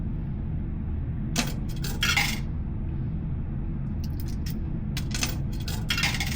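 Over a low hum, a quick series of metallic clinks rattles down and stops cleanly; the coin is passing through the mechanism normally.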